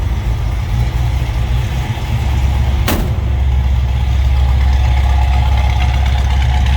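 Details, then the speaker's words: 1968 Ford Mustang GT Fastback, 302 V8 with 4-speed manual, just after a cold start: a short blip, then a smooth, even, deep idle with steady firing and no knocks or ticks; normal idle while warming up. "That was a cold start, so we'll let this 302 warm up a little bit."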